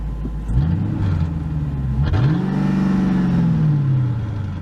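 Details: Old Ford Crown Victoria V8 after throttle body idle adjustment, shifted into reverse with foot on brake: idles low and even, brief pitch swells as gears engage, then holds steady; noisy pump audible.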